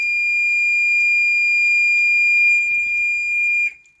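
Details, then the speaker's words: Rover 45 with a non-original alarm, triggered as a test after locking the car: a steady, piercing high tone holds nearly four seconds then cuts off cleanly; alarm siren working. "That is a very different alarm to the one that was on this car originally, but it works. And that means that the alarm has been triggered."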